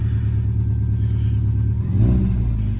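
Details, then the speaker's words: Subaru Baja at idle, neutral, clutch depressed, check engine light on: low, uneven chugging idle from a cylinder 4 misfire; rusty exhaust with new muffler, louder at the side than behind. "But it does run, and you can hear the chugga chugga chugga chugga chugga. Yeah, that is the cylinder 4 misfire."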